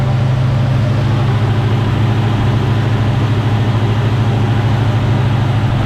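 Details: 1975 Chevy C10, 454 big-block V8, carbureted, right after fitting a new fuel pump: deep, steady, even idle with no stumbles or surging, warming up; running normally.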